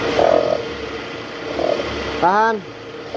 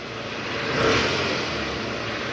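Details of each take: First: High-mileage Toyota Harrier with original tensioner, AC on, in reverse, revved to about 1000 rpm: steady droning growl as the worn tensioner with a weak spring vibrates; tensioner and loose balancer shaft replaced. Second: 2008 Toyota Harrier, about 185,000 km, AC on, in reverse, revved around 1000 rpm after replacing the worn tensioner: smooth rev blip settling to an even hum, the earlier growl from the tensioner gone; balancer shaft still to be replaced.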